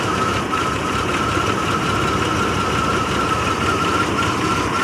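Steady idle with an uneven, lumpy low rumble underneath and a faint whistle on top; the engine is idling rough.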